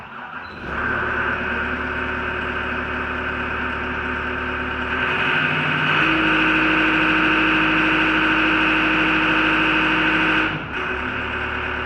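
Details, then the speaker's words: Mustang 3300V skid steer diesel after 500-hour service with new fuel filters, self-primed by electric fuel pump: cranks briefly, catches at once without a hiccup, settles into even steady clatter, revs cleanly; normal start and run. "fire right up without a hiccup the old machines you have to pump and pump and open the bleeder valve this is so nice and convenient"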